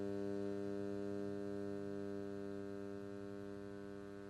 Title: Humming Noise Input+output